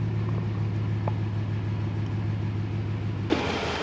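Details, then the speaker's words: Dodge Ram Hemi truck parked over two years, warming toward 210 coolant temperature: steady, even low idle with no ticking over the rumble; the earlier Hemi tick went away by itself, running smooth. "and if you notice the hemi tick is gone it went away by itself the hemi gods are smiling on me today"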